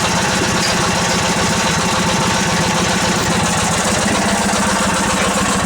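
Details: Old Yardman tractor with 4-speed rear end, owner thinks 1979, first start after sitting 4–5 months over winter, choke out; fired right up, steady even low putter at relaxed idle, no knock or miss.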